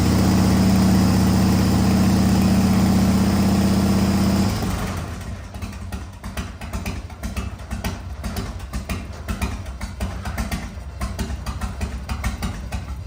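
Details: 1985 Harley-Davidson FXRS Evo V-twin, sat five years, new carburettor, oil-mixed fuel, smoking heavily: loud steady thump a few seconds, then drops to a loping, popping idle that keeps running on its own.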